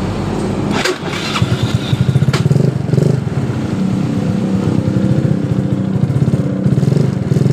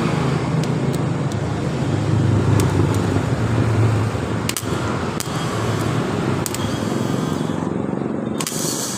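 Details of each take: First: Yamaha Mio Soul scooter: rough, gritty rasp under the cranking pulses when the electric starter is pressed, fading once the engine fires and settles into a steady idle, returning at shutdown; starter drive grinding, starter motor or one-way clutch to be checked. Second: Yamaha Mio Soul starter motor tested on the battery after rough noise at starting and shutoff, rear armature bushing suspected worn, after checking and retightening: smooth steady whirr with a few light clicks, sounding normal.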